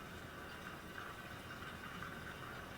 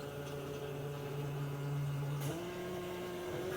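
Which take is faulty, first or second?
second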